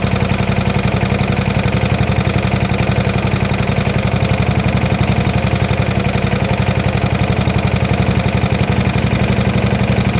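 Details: 1972 Gravely 816 with Kohler Command 18, running after carb modification: heavy regular knock about three per second over steady idle, deep in the bottom end, sounding like a rod. Motor judged pretty much blown up, likely why parked.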